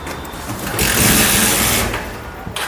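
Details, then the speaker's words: Bajaj Pulsar 150 BS6, stalls on throttle, O2 sensor and bank angle sensor codes, after clearing errors: about a second of starter whirring with no firing; cranks but won't start, throttle not responding. "చూడండి starting రోబుల్ కనిపిస్తుంది మీకు ఈజీగా కనిపిస్తుంది. ఇప్పుడు start అవుతాలేదు చూడండి"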